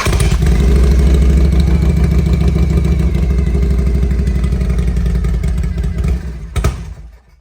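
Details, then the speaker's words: 1993 Harley-Davidson FXR-S with S&S 82ci V-twin, under 30 miles since restoration, cold start on choke: loud, uneven thump that lopes and stumbles for several seconds, then sputters and dies; cold-blooded rough idle. "oh you got [Applause] it definitely cold blooded don't touch the pipe it's going to be hot"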